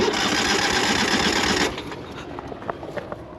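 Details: Ural sidecar twin-cylinder motorcycle engine fires and runs roughly for under two seconds, then abruptly cuts out after a fuel-system fix; fuel pump and fuses fine, relays replaced, left spark plug has no spark.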